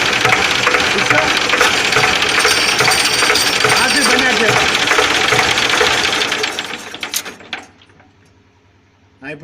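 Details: HMT tractor engine running with a harsh metallic rattle pulsing about twice a second: clutch release bearing problem.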